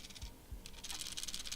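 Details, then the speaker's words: Handheld game console, possibly a Nintendo Switch, Switch Lite or DMG Game Boy, shaken: light plastic clicking in short bursts from the buttons rattling in their holes; nothing loose inside, normal. "it's just the buttons there's nothing loose in here it's just your buttons rattling so it's nothing uh nothing serious"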